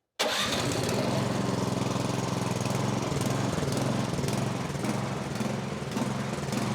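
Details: MTD snowblower, stone cold, with fuel in the tank, running on a little choke: fires up, then hunts with rising and sagging speed, starving lean; the pilot jet was probably plugged.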